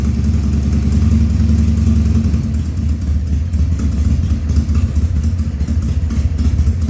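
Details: 2000 Harley-Davidson 1200 Sportster V-twin, first start after carb rebuild and leak fixes, air cleaner off: lumpy idle, uneven beat with occasional stumbles and coughs; rebuilt carb running a little lean.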